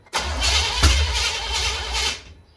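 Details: 1970 Chevrolet Impala, first start attempt in 4 years, carburetor just fitted, throttle-primed, distributor only static-timed: cranks about two seconds with uneven catches, fires briefly, then dies. Smells of old fuel; cause not confirmed.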